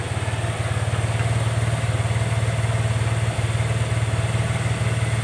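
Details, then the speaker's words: Honda Vario 110 Techno carburetor scooter: steady single-cylinder idle about three beats a second, rising and falling by itself; hunting idle. "Dia itu naik sendiri, turun sendiri. Naik sendiri turun sendiri. Ndak langsamnya itu gak normal guys ya."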